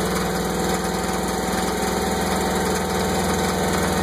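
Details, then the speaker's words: Mercruiser 5.7L marine engine after replacing lower end U-joints and helm binnacle shifter; plugs, distributor cap replaced and timing adjusted: lumpy idle with steady dull knock about twice a second, running rough, cause unknown. "I don't know what's going on back here. She's running rough too."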